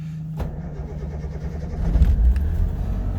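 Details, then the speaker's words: Subaru 360 van cold start at about 45°F, choke pulled, fuel pump primed, clutch pushed: starter catches, small engine picks up and settles into a steady buzzing run; clean healthy start. "because it seems like it's running pretty good okay we're off and rolling"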